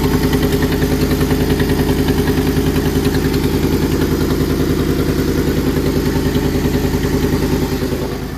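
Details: Ford F-150 5.4 Triton 3V V8 before repair: sharp even puffing tick at idle, three to four per second over the rumble; exhaust manifold leak from broken studs.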